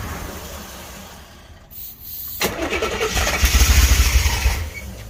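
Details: 1984 Corvette after a DIY fuel pump change. The starter turns the engine over steadily at about three turns a second, but it never catches: cranks, no start.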